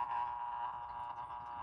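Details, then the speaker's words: Sessions electric clock, c. 1930s, with Hammond parts, first run after being plugged in before repair: thin steady buzzing hum with a faint rattle, too loud; cleaning and lubrication of the gears are planned to cure it. "But it's really noisy."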